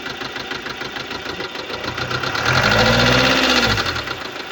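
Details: 2015 Subaru Legacy BR 2.0 diesel (1998cc, 110 kW/150 PS, code FB20), 146,842 km: quick even ticking about four per second at idle, rising briefly with revs; defective hydraulic lifters, a valvetrain fault.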